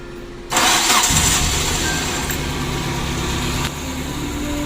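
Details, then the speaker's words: Suzuki Carry 1.5 injection, restarted after first running rough: a short crank catches at once and settles into a steady running note, showing the ECU is fine; it still limps slightly. "Alhamdulillah sekali untuk mobil ini ya, bahwa ECU-nya tidak bermasalah. Jadi untuk mesinnya sudah bisa hidup."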